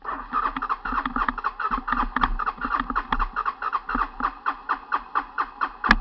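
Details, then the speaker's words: Honda TRX 300 ATV, cold start outside the shed in December: starter churns in even pulses about four per second but the engine never fires; gas smell, owner suspects it is flooded. "I smell gas which means it's flooded. That's not a good thing."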